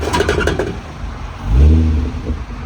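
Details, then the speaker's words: Manual-transmission Genesis being loaded onto trailer: engine runs, heavy low rumbling grind surges as clutch is released and car won't move; serious drivetrain grinding, differential suspected, not confirmed. "is what it sounds like when you let go of the clutch. You can't even move it. You can't even move it. Oh my God, I've never heard a car sound that bad, genuinely."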